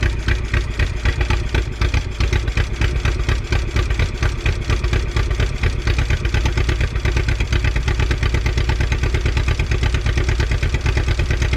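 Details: 1951 Willys CJ3A Jeep four-cylinder after 52 years off the road, now gravity-primed through its fuel line and working fuel pump. Steady, even thump at slow idle, no misses or knocks.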